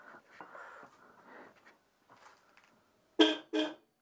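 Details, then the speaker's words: Citroën 2CV AZLP6 during reassembly, fenders off: two short thin honks with only one of two horns sounding; owner suspects poor ground without the fenders, later tightens horn mounts to improve earth. "là, il y en a qu'un. Bon, en même temps, les klaxons, ils font pas vraiment masse quand il n'y a pas les ailes."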